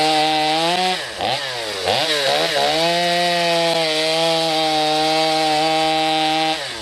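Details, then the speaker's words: Stihl MS250C chainsaw with a new OEM Stihl carburetor replacing a bad one that bogged, no adjustment: crisp two-stroke rev, brief dip under wood load, then a steady high scream without bogging; running fine. "so you can see there with the carb right out-of-the-box brand-new from still there's no issues I did not have to adjust anything on it"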